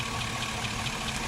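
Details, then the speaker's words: 2005 Chevy Suburban 5.3L V8 at idle during engine-flush treatment: light quick ticking about four or five a second, mostly from passenger side; owner suspects sticky gunked lifters, otherwise needs heads pulled and new lifters. "most of the tickets coming from from passenger side and I don't know if it's quieted down or not just yet still kind of hear it in the distance"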